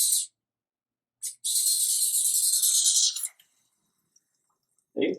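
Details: KTM/Husqvarna motorcycle replacement fuel pump bench test: about two seconds of steady, high, even hissing spray, no sputter or surging; flow like stock or slightly better, no leaks, normal.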